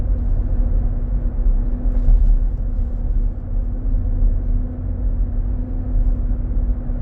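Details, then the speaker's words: 2023 Nissan Armada, 4k+ miles, 95F inside: gone at 45 mph, returns after stopping at a turn and pulling away. Deep steady roar under road rumble, swelling and easing. Sounds like fan clutch roar. "We'll stop at the turn signal and start. I can hear the sound coming back up."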